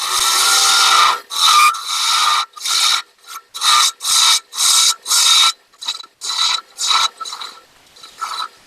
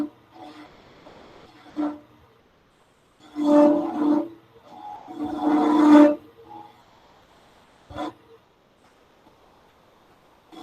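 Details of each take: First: Wood lathe turning a madrone finial held in pin jaws. With the bevel rubbing, light slicing push cuts give smooth rasping strokes about twice a second, with no rattle or vibration between them: a clean cut without chatter. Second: Wood lathe turning a finial, with bursts of a droning, horn-like tone and rough chatter when the tool is pushed hard on the roughing cut: tool chatter resonance.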